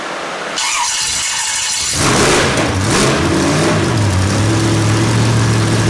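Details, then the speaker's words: Freshly built small-block Chevy 283 V8 with big solid roller cam and about 12:1 compression, on an engine stand with no coolant yet and untuned: very first start, rough uneven catch after a short crank settling into a lumpy idle. "but that was the very first initial start of this 283"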